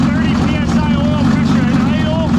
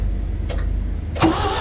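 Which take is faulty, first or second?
second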